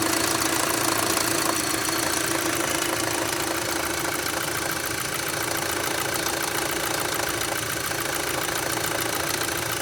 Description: My ‘06 Audi A3 (2.0l) is still making this noise even after I cleared my oil sump